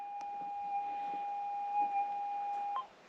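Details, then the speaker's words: Minelab GPX 6000 metal detector in manual mode, seven clicks: steady high threshold tone holds briefly then cuts to quiet as the threshold tone is switched off. "now we are in seven clicks manual and i'm going to turn the threshold off so you can hear the difference"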